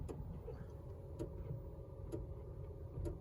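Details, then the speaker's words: 2021 Honda CR-V Hybrid EX, three months old: four sharp crisp solenoid-like clicks from under the hood, one per brake tap; dealer says normal, owner believes not normal, cause unknown. "That's coming from under the hood up here. It's whenever I hit the brake. It's kind of solenoid clicking."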